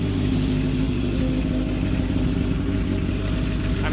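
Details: 1978 Kawasaki KZ650 C four-cylinder, revived after sitting at least 5 years, during carb synchronization with air cleaners off: steady even high idle around 2000 rpm, smooth low hum, no hunting or misses, carbs sound balanced; normal fast idle.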